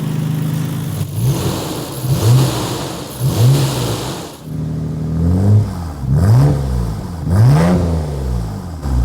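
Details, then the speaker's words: Nissan R33 GT-R RB26DETT after an HKS Super Fire Racing Coil Pro ignition upgrade, fixing a tip-in misfire under boost: crisp blips from idle climb and fall cleanly with no stumble or popping, and it starts better and idles smoother. "Doesn't seem like I have that sort of tipping into boost misfire that I was experiencing every once in a while. And it just seems happier, healthier. It starts better, it idles smoother."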